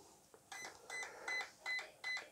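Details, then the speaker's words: RC car ESC programmed without a program card, button held on power-up: short high beeps about every 0.4 s stepping through menu items, released at three beeps for low-voltage cutoff. "let it beep for a while and it's gone quiet has one beep two beats three beeps okay and i let go three beeps and then i'll let go because that's what we want to change low voltage cut off um item"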